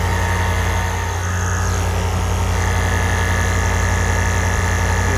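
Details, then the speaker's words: Range Rover Sport L320, Dunlop air suspension compressor after drying gel service (fault C1A20-64, only normal height available), engine idling: steady electric hum of compressor pumping, smooth, no escaping-air hiss; normal compressor operation. "Okay, but before I put the cover, now it's time to start the car. check what happens. You can hear the compressor starts working."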